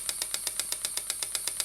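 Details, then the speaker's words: Stuart model "donkey" steam water pump (6 cm3, no crankshaft, flat slide valve, rated 40–400 strokes/min) running slowly on a small air compressor; crisp even ticking about eight beats a second with light air hiss, normal running. "donc ça pompe alors là elle va tout doucement c'est une pompe qui peut aller jusqu'à 400 coups minute"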